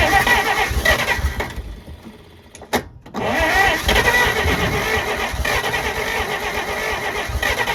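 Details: 1948 Pontiac Silver Streak straight-six, sat since early 90s, first start: catches after stumbling crank, runs ragged with uneven beats and faint light tapping, only holding on throttle; owner notes slight knock, cause unconfirmed.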